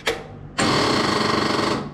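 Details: Inherited Briggs & Stratton lawn tractor that stopped running: a short click then about a second of fast buzzing rattle with no firing, abnormal cranking, no start; owner first suspected wiring, hydrolock damage suspected.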